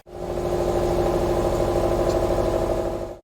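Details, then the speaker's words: 2006 Subaru Forester after DIY replacement of the noisy in-tank fuel pump; steady, even idle with a low hum and no pump whine or buzz; new pump very quiet, normal idle. "the new pump. Very little noise. You can hardly hear it."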